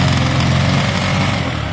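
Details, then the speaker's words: Motorcycle started after sitting a year or two, cold on choke: loud, steady, even low idle, slightly fast on choke, with no knocks or misses; a healthy engine running cleanly. "I remember the chokes on in a minute you'll be able to turn the choke off and it should either be power I think it sounds good it's got a really nice note"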